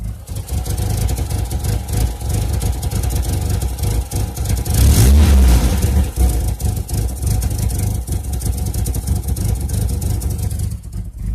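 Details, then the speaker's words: Chevrolet Cavalier, no codes after clearing, cylinder 4 implicated, cause unknown to owner: idle lurches and stumbles unevenly with a choppy beat and irregular surge, sounding bad. Rough idle, likely misfiring. "hope you like this update video that really sounds bad now"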